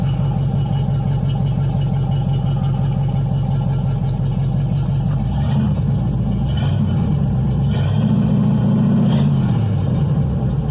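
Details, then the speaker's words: 1964 Ford P500 panel truck, 292 Y-block V8 after timing adjustment: deep even idle lope, then clean pickup on quick throttle-linkage blips; normal free rev, though detonation suspected afterwards. "Sounds good, doesn't That's what it should sound. it?"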